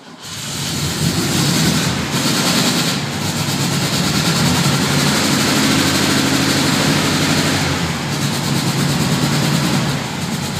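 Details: 1972 VW Fastback with a fuel-injection issue, started cold, black smoke; engine sputters and surges, beat sagging and recovering, can't stay running or hold idle; rough cold running that improves as it warms.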